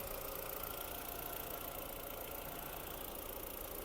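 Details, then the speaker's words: 2002 Skoda Octavia Tour 1.8T petrol turbo, 195,000 km, fully serviced; engine started and idles quietly and evenly, no smoke, no misfire, soft consistent hum with no stumbles; healthy idle. "автомобіль завівся в співтику не димить не троїть працює тихо рівно"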